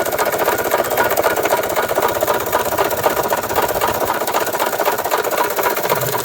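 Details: 1993 Toyota Tercel on a lift, first start, heard at the engine: hard, regular knocking at about four per second over rough running, and it won't accelerate. A rod knock was suspected; lots of fuel was later found in the oil from a fuel-injection issue, probably leaving the bearings unprotected.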